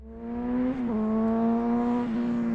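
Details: Clean, steady engine note that climbs, dips and holds evenly with no knocks or rattles from a Honda XR 150 after new clutch discs, burned from very low oil, and an oil change; normal running.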